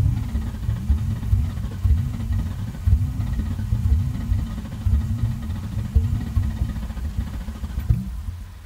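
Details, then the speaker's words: 2000 Mustang GT, second start attempt after a found unplugged fuel pump was reconnected; new plugs, coils and fluids; cranks with low uneven chugging and irregular pops and sputters but does not catch. "i mean she's kicking and farting and spitting and sputtering so i gotta think she wants to fire up um she's getting there"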